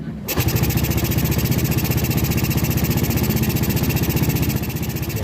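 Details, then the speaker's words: Yamaha Vega ZR single-cylinder engine freshly rebuilt (new rod, crank bearings, camshaft, valves, block), first start with valve cover open: brief crank, then a smooth, even idle with oil circulating; healthy. "suara mesinnya sudah halus kita tinggal PG Naika tidak ada ya"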